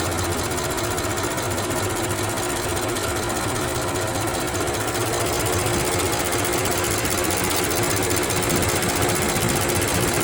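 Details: 2008 BMW X6 twin-turbo with a "full engine power no longer available" warning: hot engine idling with a loose, uneven rattle of about two or three beats a second; customer reports the rattle when hot, source not yet found.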